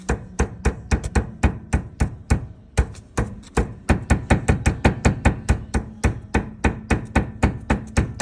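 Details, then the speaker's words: Honda Stepwgn RP1, front-wheel drive, steering wheel turned to the right: sharp hollow knocks about four a second with no engine behind them; steering rack rod knocking in a worn bushing. "Вот она при выретом руле вправо издаёт шток во втулке звук."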